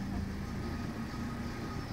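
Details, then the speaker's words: 2011 Mitsubishi Lancer with rough idle and code P0401 (EGR valve beneath the throttle body), started after the EGR valve's needle problem was dealt with: short, steady low idle with even firing, no misses or hunting; healthy idle. "Vamos a darle marcha al vehículo [Música] ahí arrancó bien el problema era que esta aguja de aquí"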